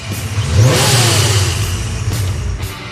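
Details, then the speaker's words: Engine after the accessory belt was removed and the idler and pulley bearings lubricated to cure a chirping noise: a quick rev swells and falls smoothly with no chirp or squeal; the belt noise is gone. "The belt was just maybe on weird. I just took it off. Shut a little lubricant on the bearings a little bit. The noise is gone."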